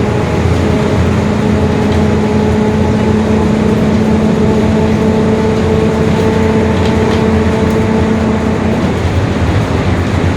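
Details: 2021 Marcopolo Torino S urban bus on Mercedes-Benz OF-1721 Bluetec 5 chassis, extended, driving: steady whining tone with overtones over the diesel drone for most of the run. Rear axle whine; growling differential suspected.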